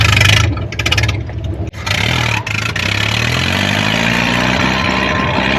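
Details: 1929 Ford Model A Speedster racecar after a rebuilt radiator, carburetor overhaul and a new Edelbrock coil replacing the failed one: sharp throttle blips, then a smooth steady idle with no misfire or stumbling. Running properly.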